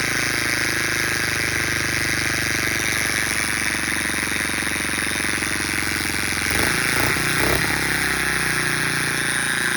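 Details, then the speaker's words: Baja Motors DR50 (Chinese copy of 2002 Honda XR50), engine rebuilt three times, idling: constant thin steady buzz over the single's idle, gone with clutch pulled; owner suspects bent kickstarter pawl ramp letting the pawl contact the gear. "I just rebuilt the motor and I thought I had it all in there, but I still have this annoying buzz coming out of the engine."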